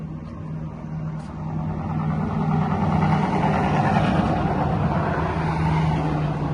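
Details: 1997 Ford Mustang GT 4.6 V8 at idle: a steady knock taps over a low, even engine drone. The owner suspects the AC compressor; the source is not confirmed.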